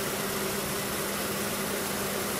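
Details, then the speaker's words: Car engine idling right after a DIY oil and filter change while checking for leaks: steady, even idle hum with a low drone and no knocks, ticks or misses, with no drips from the plug or filter. "Now it is changed and ready. So what we want to do is start it up and check and see if it's leaking underneath."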